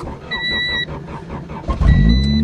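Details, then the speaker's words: 1990 Honda automatic buried in snow, winter cold start: two-tone chime, brief crank, then catches and settles to steady even low rumble; starts fine though it has a bad clutch. "oh yeah snowing and all she's running it's amazing"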